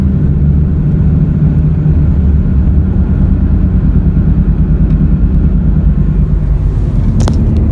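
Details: Car driving at road speed after front wheel bearings replaced; steady low droning roar now heard from the rear, owner ~90% sure no longer front-related, two bad rear tires; tire roar.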